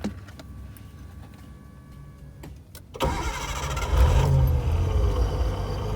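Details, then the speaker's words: Nissan 240SX with RB20 swap, engine cranks and idles with an uneven crackling rattle; owner suspects the driveshaft binding at the tail shaft and pushing forward. "So I don't know if you can hear it, but there's a lot of like crackling in there. I think the drive shaft is pretty much kind of binding in there and pushing everything forward"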